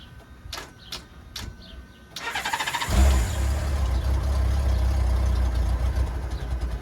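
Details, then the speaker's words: Non-running 1994 Honda GL1500 Goldwing Aspencade, first start in two and a half years after aftermarket fuel pump replacement, on center stand in neutral with choke: a few ticks, short crank, catches and settles to a steady even idle about 1250 RPM; normal start. "that is no joke by the way whole joke about 1250 RPM"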